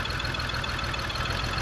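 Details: 2002 BMW X5 3.0L AWD, new battery and spark plugs, multiple misfire: idle with uneven lumpy pulse and small stumbles; owner suspects fuel pump, to be double-checked; unconfirmed.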